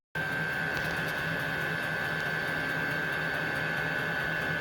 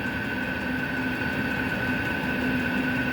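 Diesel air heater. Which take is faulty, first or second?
second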